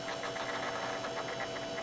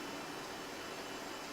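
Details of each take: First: Dirty Sunbeam circulator fan, first start of the season, on low: steady motor hum with fast, uneven chatter and ticking, making all kinds of noise; owner thinks it needs oiling and cleaning, but it still moves a fair amount of air. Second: Modern fan, never oiled, first start of the season, running on low with oscillator off: soft, even airy whoosh with no rattle, hum or scraping, running smoothly and better than anticipated.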